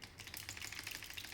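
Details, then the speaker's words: Quad Era-1 headphones, right earcup shaken: light sharp clicks in bursts from a small screw that came loose, maybe from traveling, rattling inside a small compartment; left side quiet. "what is the problem inside this small compartment here there is a small screw that with the maybe with the traveling uh that small screw unscrews and inside this part it will shake and then make that noise"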